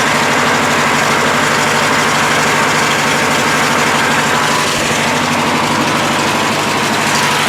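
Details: Craftsman LT1000 lawn tractor, Briggs 19.5 hp opposed twin, after draining water-contaminated gas, new fuel filter and carburetor blown out: steady strong even drone, no misses or surging; normal running.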